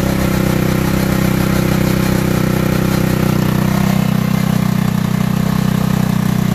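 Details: Tao Tao racer that wouldn't start, running again after battery and valve adjustment: small single settles into a steady, even putter about three beats a second with no misses or knocks; idles normally.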